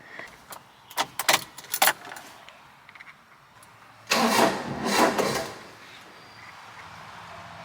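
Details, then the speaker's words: Carbureted kei mini truck with an ongoing excessive-crank, rough-start problem, started after letting the fuel pump prime; several uneven cranking bursts before it catches after about four seconds, then a rough, unsteady idle; long cranking before starting. "I will turn the truck on let the fuel pump Prime uh and then you'll hear how it sounds what it's trying to crank up"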